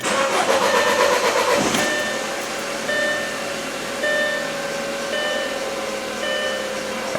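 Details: VW/Audi at 68,857 miles, just after the high-pressure fuel pump cam follower (06D109309C) was replaced and the key cycled to prime the pump. A short crank and catch, then a smooth idle with light even ticking: normal start and idle.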